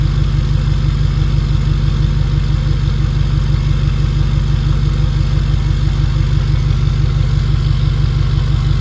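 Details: 2011 Ford 6.7 Powerstroke diesel with 5-inch exhaust, first start after 6 months winter storage: deep steady rumble through big exhaust, firing evenly without misses or knocks; healthy idle.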